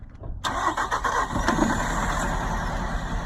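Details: Nissan Altima 2.5 that wouldn't start, after new spark plugs and valve cover seals: brief crank, fires straight away and settles into a smooth, even idle with no misfire.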